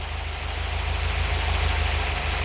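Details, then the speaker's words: Vintage Ford Y-block V8 (Thunderbird) at idle: deep, slightly uneven, wavering beat. Vacuum fluctuates around 10 inHg versus an expected 18+, unless cammed; idle mixture screws being adjusted, valve seals possibly suspect. Rough idle, cause not yet found. "or inches of mercury, which isn't right. This should be up around 18 at least, just rolling over, unless there's a cam in it."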